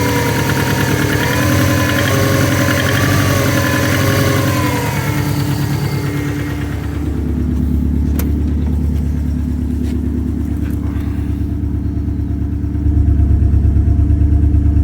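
Idling engine with a steady knock about three times a second riding over the run, deep and regular; knocking at idle.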